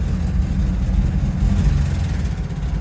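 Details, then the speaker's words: Rolls-Royce Silver Shadow carbureted, in reverse trying to climb a ramp: lumpy, hunting rumble; chokes up and nearly dies when given gas, idles semi-fine; owner suspects a warm-up switch upsetting fuel mixture, unconfirmed. "if I if I give it gas it kind of chokes up so that's not a good sign it it idles fine or semi fine but yeah there's really it really isn't isn't running well"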